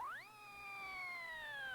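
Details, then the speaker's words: Mobile HF transceiver audio in a vehicle after ignition noise suppression: a clear whistling tone sweeps up on engine start and follows revs, which is alternator whine. The fix is wiring the radio's power lead directly to the battery by the shortest path. "Oh, yikes. Alternator whine. Oh, that's a tough one to identify, but it's an easy one to cure."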